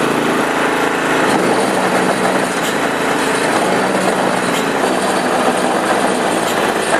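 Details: Honda HS928 snowblower after auger gearbox repair, choke on, running without snow: even, steady high-pitched engine drone with no knocks, grinding or surging; engine and auger drive sound healthy.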